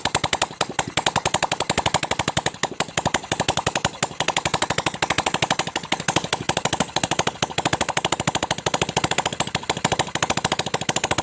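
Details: Honda Supra 125 first start after fitting a Kawasaki ZX 130cc piston, valve cover off to watch oil flow: quick, even popping beat of a small single with open valve-train chatter; running fine.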